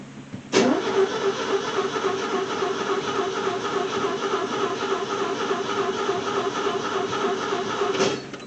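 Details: Car cranking with the starter churning evenly about three and a half times a second for seven seconds, heard from the back seat; the engine never fires, a crank no-start.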